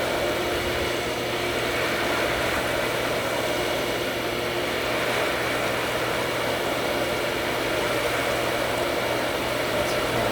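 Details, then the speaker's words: Pool pump running a Zodiac MX-8 suction-side vacuum after main drain turned off: steady hum, faint whine and constant watery rush, no gurgling or surging; prime regained, pressure back to about 10–12 psi, running normally. "Back full. Pressure's back at about 10, almost 12."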